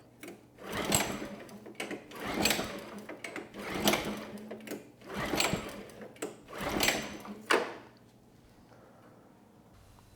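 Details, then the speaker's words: Generac G1000 750 W generator, no history, ignition on, choke on then off: about six recoil pulls spinning with no firing; no-start from fuel starvation, nothing reaching the carburetor drain though the tank has fuel; carb needs removal and cleaning. "we get no signs of life so yeah I would say that carb needs to come off and be cleaned"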